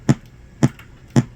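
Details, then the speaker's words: Speaker on a GT FORE game board pops three times, about half a second apart, with no audio, though the sound test passed. The 13 V/5 V regulator reads good. The oscillator, Creative chip, crystal audio codec and op amp were replaced. A capacitor is dragging down the 3.6 V supply. "Well, I'm still getting that pop, poof, poof, poof, and no audio."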